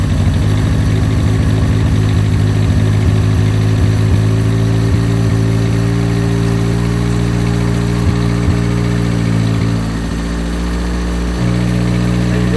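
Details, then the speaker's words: 1987 Toyota Corolla FX 1.6 L four-cylinder sitting since 1999, dirty oil, low coolant, most vacuum lines plugged off: slightly uneven, hunting idle with dip near end; vacuum leak still present. "Vacuum leak still. We plugged about everything off. Probably shouldn't let her run too long."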